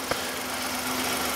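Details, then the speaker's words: 2015 Hyundai i10 1.0-litre engine idling, recorded in the engine bay: steady hissing whirr with a faint rhythmic 'shush shush' swish from the front of the engine, worse than before; owner suspects a stretched timing chain, not confirmed. "so that noise now it does sound mechanical so that noise that we can [Music] hear you can't hear it through there we think is the timing change I hope it is"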